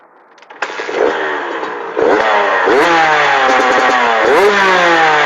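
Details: TC125 two-stroke just fitted with an FMF pipe and silencer: crisp start, then quick rising blips that pull cleanly each time; sounds healthy and responsive.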